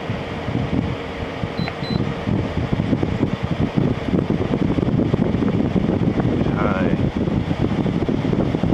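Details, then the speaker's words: LG ThinQ 10000 BTU air conditioner after capacitor replacement: steady airy fan rush, smooth, with only a slight pitch change between high and low speed settings. Fan runs normally. "so yeah it seems to run pretty good"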